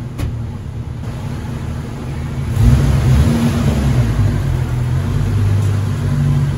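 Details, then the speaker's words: 1994 Jeep YJ after ECU and fuel pump repairs, driven gently in first and second gear: the engine pulls evenly with no misses or knocks; a slight whine was noted earlier, believed to come from the alternator. "so all right she runs she drives pretty well i went first and second gear didn't go too fast"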